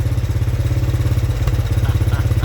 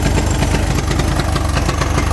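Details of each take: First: 1983 Honda 200E three-wheeler single-cylinder idling right after new carburetor fitted: steady, even putter at about three beats a second, no misses or stumbles; healthy idle, though it still smokes. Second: 1983 Honda 200E three-wheeler, first start after sitting; small single-cylinder thumps unevenly with ragged hunting idle, dies at idle despite mixture screw adjustments; carburetor needs rebuild or replacement.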